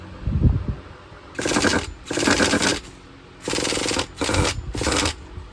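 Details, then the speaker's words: Used Traxxas Nitro Slayer RC truck engine struggling to prime, tank possibly clogged or fuel bad: short high-pitched screaming bursts of half a second to a second, each dropping to near silence; starving for fuel, cause suspected, not confirmed. "all right we hear it running but obviously it's starving for fuel"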